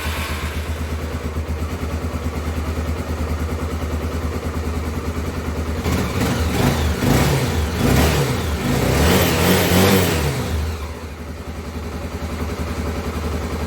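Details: Honda CBF250 single-cylinder after replacing the intake pipe, which had been sucking false air. It idles evenly, revs cleanly and settles back to a steady idle with no stumbling or hissing; sounds healthy.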